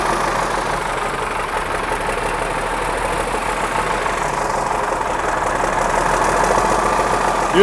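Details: 1963 Mack F600 old diesel, owner thinks an early C six-cylinder, just fired up after checking fuel prime; oil pressure coming up through the big filter. Even idle clatter with faint turbo whistle, steady, no misses or heavy knocks: normal healthy idle.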